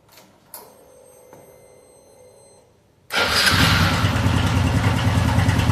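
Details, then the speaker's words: Honda Biz 110i motorcycle engine with fairings off: busy, rattly idle with a steady beat; engine found with very little, old-looking oil, apparently never changed. "Esse é o barulho que ele está fazendo. Primeira coisa que a gente vai observar, se o motor tem óleo. É o primeiro passo. Deu para ver que ele está com pouquíssimo, mas pouquíssimo óleo mesmo no motor."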